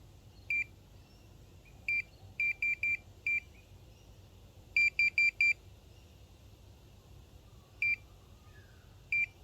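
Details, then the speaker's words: Minelab Pro-Find pinpointer sensing a single pin cut into small pieces and spread out: short, sharp high-pitched beeps in uneven clusters of one to four as the probe passes the fragments; target detection picks them up well. "picks that up pretty well that's my single pin cut up into smaller pieces"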